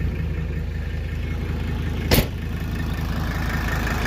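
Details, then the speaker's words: Mercedes OM617 diesel, after new injectors, glow plugs and valve lash adjustment, 10-second glow: steady, even idle clatter with no misses or knocks, slight belt squeak and exhaust leak; smoothest idle yet. "This is the smoothest this thing has idled, as long as I've had it."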